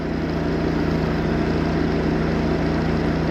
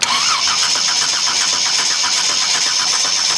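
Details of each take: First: Chevy 250 inline six on first start after the reversed distributor firing order was corrected: fast, steady cold idle on choke, even firing without knocks or misses, vacuum about 16-17; running properly. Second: Chevy 250 inline six on a new starter, ignition on: starter spins the engine evenly but it never catches; no spark, traced to blown fuses, after erratic firing and backfiring through the exhaust or intake.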